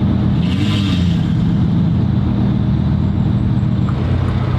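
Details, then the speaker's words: Bentley at idle with a drive system warning (limited performance) and no check engine light: heavy, uneven, shaky low rumble, physically shaking the car and getting worse, sounds like it's dying; rough idle, cause unknown. "The fact it's actually physically shaking the car right now. Oh, oh my god. Oh, it's dying. Dude, this thing, you hear it? Oh yeah, it sounds bad."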